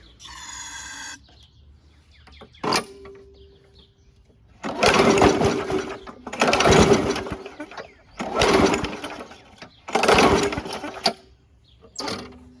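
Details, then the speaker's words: WeedEater 21" push mower, Briggs & Stratton 500 Series 158cc: slow laboured pulls, no firing, very hard to pull over; owner suspects rust in cylinder or flywheel brake, but cylinder not rusty, plug needs replacing. "It's puffing, but it is really hard to pull over."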